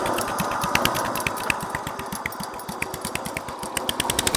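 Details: Restored 1963 Bolens Husky 600 lawn tractor single-cylinder engine: quick popping beat, a bit uneven but running on its own; sounds healthy.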